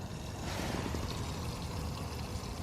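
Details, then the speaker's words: MK6 VW Golf R first start attempts after front-end, radiator, intercooler and coolant reinstall: steady rushing, gurgling flow with low churn while cranking, like coolant sloshing at the radiator; low oil pressure warning followed; exact cause not confirmed. "those this weird noise it sounds like quant flushing around"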